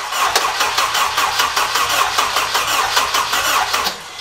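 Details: K24 swap engine, open-pipe exhaust, MAP sensor problems and previously running only three seconds at a time: even rapid starter churning at roughly seventy-five beats a minute that never catches; cranks but will not fire.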